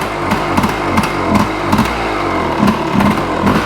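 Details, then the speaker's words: 1986 Yamaha Tri-Z YTZ250 two-stroke three-wheeler, cold start: primed, choke pulled, fires on one kick. Busy, slightly uneven burble with occasional pops while still on choke. Normal cold idle. "One kick, she fires right off. That's the way she should be. Right now, we're still on choke."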